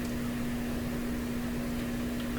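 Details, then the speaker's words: Conar Signal Tracer Model 230 on the audio setting with the input grounded and no signal: a steady low hum remains. The owner first suspects power-supply hum, but it drops on the radio setting, so the source is something else. "So I'm removing the signal, but it leaves that hum. So that hum is probably power supply hum."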